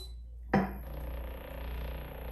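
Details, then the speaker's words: Power Plate MOVE vibration trainer running: a sharp knock, then a low steady hum with fine fast rattle. The noise is the power cord vibrating against the hardwood floor, not the machine; put something between cord and floor. "but if you're hearing this noise it doesn't come from your power plate it comes from the electrical cord that is connected from your power plate to the power outlet"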